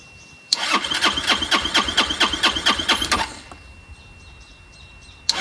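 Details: Chinese 150cc Moto Cooper Revo scooter found curbside, ignition bypassed, after fuel line reconnection: steady starter chugging about four pulses a second for nearly three seconds, never catches. Cranks but won't start; cause not confirmed.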